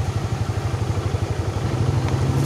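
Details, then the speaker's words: Yamaha Mio Sporty scooter idling steady and even with no knocks or misses after repairing a broken wire; previously would not start without the battery, now starts easily. "Enggak lagi dicoba lagi dicoba lagi ya nyalanya juga gampang ya teman-teman"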